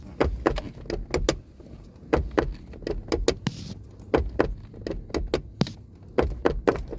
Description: This 2012 Chevrolet Volt door makes a popping noise or clicking noise every time I open the door. It sounds like the door strap is sticking or the pin has broken loose.